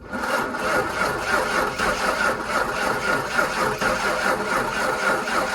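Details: 1997 Ford F-250 with an old, worn 5.8 V8, sitting for years, cold weather, new starter just fitted: steady, even cranking with fairly even compression but no firing, before trying ether; cranking, no start.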